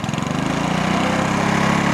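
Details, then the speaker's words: Lawn mower single-cylinder engine after carburetor cleaning and air filter servicing, fixing rough running, stalling and smoke: even, quick beat that picks up and holds firm steady revs with no misses; runs normally. "Я доволен Звук хороший обороты хорошие"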